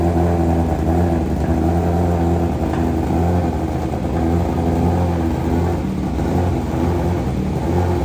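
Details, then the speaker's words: 2023 BMW M1000RR Competition, completely cold start with modified exhaust on an unflashed ECU, error warnings on dash; loud, raspy idle that wavers and hunts unevenly over a deep throb before settling, idle hunting linked to high-lift cams and high compression. "wow that sounds horrific that sounds real bad again that's with no tuning on here it's finally settled down now but man that was horrific the way that started up"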